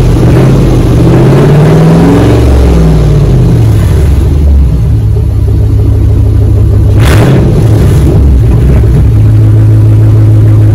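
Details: 2004 Dodge Ram 1500 Hemi 5.7 V8 after muffler and resonator delete, straight pipe fitted. Deep, loud rumble rising and falling smoothly through several revs, then a steady idle; healthy engine with a loud straight-pipe exhaust.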